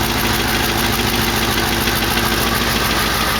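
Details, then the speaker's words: 1968 AMX exhaust at idle, loud and raspy with a sharp puffing tick on every pulse. Two exhaust pipes are just stuck together, leaving at least a quarter-inch gap at the joint. "a lot of that's because these two pipes here when they put them on they're just stuck together you can hear it at least a quarter of an inch of gap between the two pipes"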